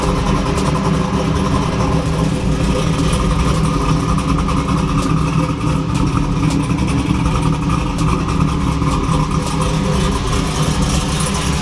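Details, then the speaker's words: 2002 Camaro SS V8 after replacing the idle air control valve and retuning: deep, even idle holding steady at about 800–850 rpm target with music underneath, no longer creeping to 1000–1150 rpm and setting a check-engine code. "all right guys so as you can see right now the car is idle and right at about 850 between 8 and 850 which is right where I have the target rpm set up"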